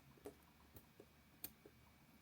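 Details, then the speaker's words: Over-100-year-old Elgin 16s grade 387 17-jewel pocket watch movement during disassembly for service: crisp, loud tick-tock several times a second from the escapement, running normally with mainspring power still in. "What's amazing is when you hear this, how loud these watches are. Now, this large American pocket watch, you can hear it, clicking from across the room, the tick tock, tick tock, versus your modern Swiss wristwatches are very quiet."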